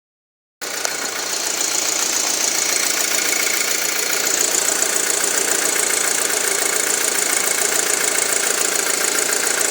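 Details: 2007 Audi A4 2.0T idling: fast steady ticking over bright hissy sound, worsening over weeks; strong intake suction at oil cap or dipstick, engine chokes and runs rough when removed, rpm sometimes to 2000, check engine light once; cause unknown.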